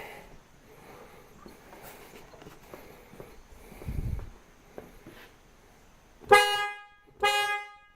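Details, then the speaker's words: 1999 Mercedes ML320 with a new replacement horn hanging temporarily, wired to the old contacts. Two loud, full, clean honks with no rasp, which shows the old corroded horns must be replaced rather than cleaned. Normal horn operation. "Okay, that's our answer. We've got to change the horns out. I can't just clean up the old horn, but that's okay."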